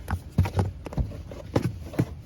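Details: 2020 Mercedes GLC300 4MATIC SUV, engine off, floor mat removed: irregular light clicks each time the driver side floor is pressed, also noticed while driving; cause unknown, loose floor panel suspected.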